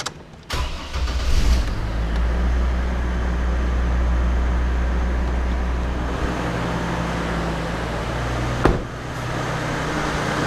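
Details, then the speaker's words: 2002 GMC Envoy idling after water pump and thermostat replacement for overheating, refilled with water, waiting for thermostat to open; steady idle with constant rush of clutch fan air, no rattles, clutch fan pulling air and working normally. "the clutch fan looks like it's working pretty well it's pulling some uh some air and it's moving"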